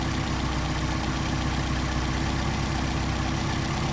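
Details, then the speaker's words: Car with rebuilt Solex carburettors idling while the idle mixture screw is adjusted: steady, lumpy idle with low thrum; engine picks up rpm as the screw is backed out. "See the engine pick up RPM."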